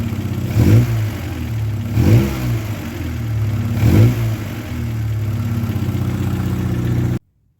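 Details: Petrol engine idling with piston slap: a hollow, rhythmic knock under the running note that swells on each throttle blip.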